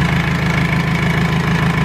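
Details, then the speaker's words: R2.8 Cummins diesel swapped into a 1997 Jeep Wrangler on first start-up, gauges not hooked up; steady even diesel clatter at idle, smooth low rumble, no misses or heavy shake, quiet. "this thing is quiet I think this feels like much spider than what my 4o was"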